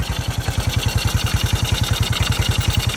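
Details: 1981 Yamaha SR185 single-cylinder after replacing faulty TCI with Ignitech, aftermarket carb, choke off: even thumps about eleven beats a second, no misfires, pops or stumbles; healthy idle, previously bogged and backfired from weak spark.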